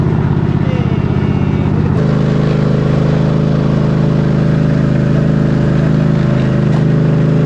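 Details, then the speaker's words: Craftsman GT3000 lawn tractor, 23 hp Kohler Pro engine, after switch jumped: catches and settles into smooth, steady low drone within about two seconds, no knocks or misses; good running engine. "I call that a win. $125 for this tractor, and it runs and it drives, it does the things minus mowing, but other than that, something that has good tires and wheels that hold air, a good running 23 horsepower Kohler Pro motor, a good battery."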